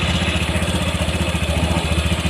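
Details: Warm Honda Vario 150 at about 80°C, after a throttle-body service, idling at the set 1600 rpm: a fast, even idle with a steady exhaust pulse and no misses or rattles. It had failed to start and often stalled before; it now runs clean.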